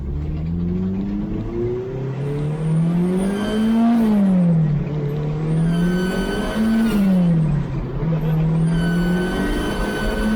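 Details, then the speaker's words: K20 turbo Ford Escort on Max ECU: engine pulls hard with a nasal, buzzy edge riding the boost, rising and falling with throttle; owner suspects a boost leak at the V-band or boost pipe joints, not confirmed. "it still makes the Kazo boost boost leak noises I'll show you what I mean"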